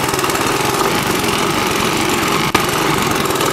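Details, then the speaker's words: 1982 Honda ATC 200 three-wheeler, stock exhaust, after sealing the front pipe exhaust leak: even single-cylinder putter on a ride with no puffing or ticking; the leak was why it was loud, now quiet, normal idle. "That main leak was why it was so loud. Quiet, it sounds like a Prius."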